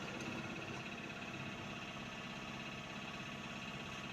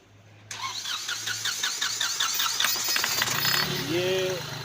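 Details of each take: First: Hyundai Xcent diesel that knocked, started poorly, smoked black and lacked pickup; jammed injector nozzles cleaned, yellow warning light cleared by scanner: steady even diesel clatter at idle with no knock or miss. Normal idle. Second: Hyundai Xcent diesel with knocking, hard starting, black smoke and low pickup: cranks and catches, then rapid uneven sharp knocking over idle at start; diesel knock from jammed, leaking injector nozzles.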